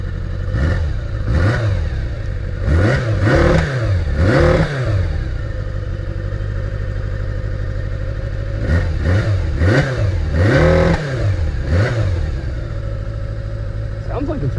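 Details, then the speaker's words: Abandoned 1981 Kawasaki GPz550 just revived: even idle with clean throttle blips that rise and fall smoothly. The tachometer shows no RPM, and the throttle cable is faulty. "running pretty good why is there no RPM there's no RPM"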